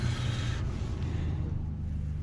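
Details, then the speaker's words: 1987 BMW 635CSi with newly replaced blower fan motor, engine idling; even airy rush changing between low and high speeds, fan runs smoothly: normal blower operation. "You can hear that new fan motor. Low, high, so that variable. That was one of the more difficult fixes when I bought this car, but glad to get it all sorted out."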